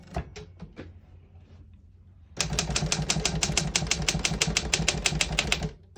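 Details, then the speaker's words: 1956 Royal HHE vintage desktop typewriter function test: sharp, rapid keystrokes at about four to five a second, clean and even after a few slow taps; all keys type well with none sticking. "As you can see, all the keys type nice and none of them stick."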